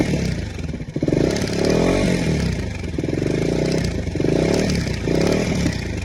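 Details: KTM Duke 250 BS6 single-cylinder engine revving in rising and falling pulls, with a rattly metallic clatter riding over it. Abnormal engine clatter, source unclear.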